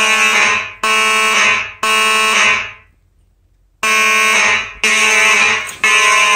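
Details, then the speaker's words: Simplex 4004 panel with horns set to code three: three loud blasts about a second apart, pause, three more; normal temporal code 3 alarm pattern from working horns. "so i guess without further ado let's set the system off this will be on code three"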